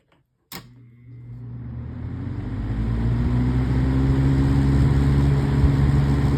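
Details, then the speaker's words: Haier 20-inch box fan from January 2004, started on high: low whir rising then settling to a smooth, even hum with no buzz; runs fine, though dirty. "And yes, it does run. So we'll go ahead and start it up on high."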